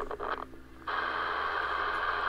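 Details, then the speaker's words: HAM International Multimode II CB radio, after swapping in a known-good VCO block: receiver quiet, then bursts into harsh steady hiss and crackle; intermittent receive fault returned, so VCO not the cause, C11 suspected but unconfirmed. "we're back on the test Point again now fault has reappeared"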